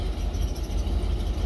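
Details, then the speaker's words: 1988 Ford F150 after spark plug replacement, wires not replaced: low lumpy idle with uneven beat and stumbles; still misfiring, plugs didn't fix it; wires suspected next. "Let's see what happens. I can hear it misfiring."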